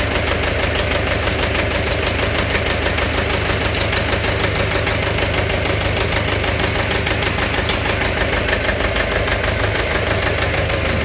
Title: Стук в двигателе